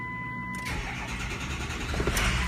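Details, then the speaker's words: Engine, oil hot at 185°F. Brief crank, then it rolls lazily into a rough idle instead of popping to a start. Oil pressure built to 300 drops quickly to zero after cranking: a high-pressure oil leak. "crank it up to 300 and look it went right back goes all the way back down to zero quickly so that that right there is a yeah we got a freaking League for sure"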